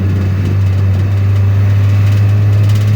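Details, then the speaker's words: Nissan X-Trail T30 automatic, in D, revs to about 3,500 rpm with a steady high drone and no upshift; transmission stays in first gear, no shifting at all, even lifting off throttle, the owner's complaint. "ini hanya gigi satu nah gigi satu terus ya tidak ada perpindahan sama sekali posisinya di D tidak mau"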